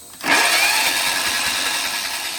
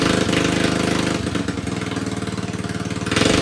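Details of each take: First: John Deere 111 mower with a swapped-in replacement engine, cranking with an even whirr but never firing. No spark at the plug; either the coil gap is set wrong or the coil is dead. Swapping the coil later confirmed a dead coil. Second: John Deere 111 mower with replacement single-cylinder engine, after swapping the ignition coil that gave no spark: even thumping idle around three firings a second, no misses or knocks; runs well.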